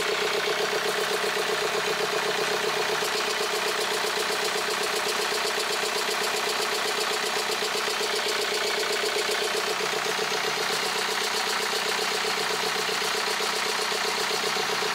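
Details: BMW 520d (2013, about 180,000 km) towed in, at idle: uneven lumpy diesel clatter with heavy misfire/shaking and massive blow-by gas; piston damage suspected, engine to be pulled to confirm.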